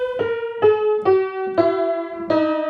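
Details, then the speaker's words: 1924 Bord 160cm decorative grand piano before restoration: single notes ring full and rich but sour against each other, at least 10 beats flat, because loose tuning pins let strings slip; the underlying tone is even and full to the top. "incredibly out of tune and it's about at least 10 beats flat but right through you can hear a nice full tone right through to the very top"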